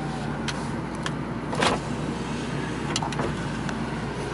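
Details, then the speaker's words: Ford Taurus station wagon, low mileage, engine running: a power window does not come down from either switch, and only a few sharp clicks are heard with no window motor sound. A switch fault was suspected only for a different window's failed auto-down. "windows this one I can hear it clicking but it ain't working from that switch and ain't working on that switch so that one does not come down"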